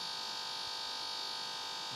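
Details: OnePlus One phone: steady high-pitched hum and hiss in the background during games, YouTube and Instagram, unchanged with screen off and volume turned down; pointing to a speaker audio fault.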